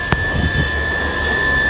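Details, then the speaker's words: Newly installed home water booster pressure pump, switched on after fitting the pipeline, set to cut out automatically at 3.5 bar; a click, then a steady motor hum with a clear high whine at even pitch; running smooth and healthy. "ఇప్పుడు on చేసి చూద్దాం. మీరు ఇక్కడ గమనించవచ్చు. Okay, on చేసాం, on అయింది motor."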